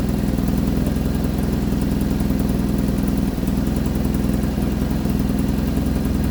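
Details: 1975 Vauxhall Viva HC during rebuild, off road since 1991, first start after carburettor work: steady even low throb with no misses, knocks or ticks, idling cleanly while warming up.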